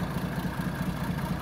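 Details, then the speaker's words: Original unrestored 1937 Plymouth Coupe, about 64,000 miles, original starter and generator, distributor worked on: soft, even low putter at idle with no knocks or misses; runs smoothly and healthy. "original starter uh it just runs right away really nice"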